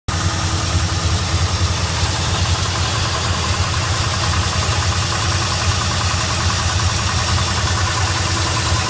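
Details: 1973 Ford F100 302 V8 with Holley 4160 carburetor: busy idle with a fast, uneven patter riding over the low rumble; odd engine noise, source unknown.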